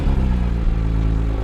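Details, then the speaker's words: Porsche 911 GT3 Touring, 4.0 L flat-six with a dual-mass flywheel, started to compare with the 911 S/T: starter catch, then a smooth, even low rumble settling into steady idle. Less raucous, more refined start with no knocks. "and immediately it's just less rockus feels more refined you know you can still sense the power of that 4 L Flat 6 but I'm separated from it more in this"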